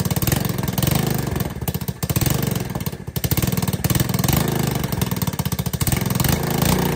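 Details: ATK 125 go-kart single-cylinder with a newly fitted homemade welded muffler: loud, sharp, rapid popping that swells and dips with the throttle, only slightly quieter. Owner suspects an exhaust leak ahead of the muffler. Loud exhaust.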